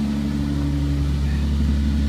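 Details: 1998 Toyota Sienna at idle: steady deep exhaust drone, louder and rougher than normal, from an exhaust leak with gas pouring out of the muffler side.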